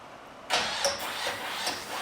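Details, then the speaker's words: 1968 Chevy C10 with 2005 Ford Explorer suspension and a small cam, starting after a jump pack: the starter cranks, then the engine catches with a ragged, uneven bark that struggles to settle. "it's it's having trouble it's got too much there you go"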